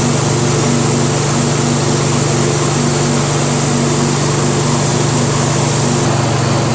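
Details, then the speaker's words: Craftsman DYT4000 tractor, 14hp Briggs opposed twin repower, low idle with electric PTO engaged and blades spinning: steady even drone, no stumble, belt squeal or grinding, still charging 12.2-12.25 V with PTO on; running fine. "so as you guys saw uh with the engine idling like this at low idle still charging slowly at 12.45 when the PTO is on it's still constantly charging at 12.2 12.25"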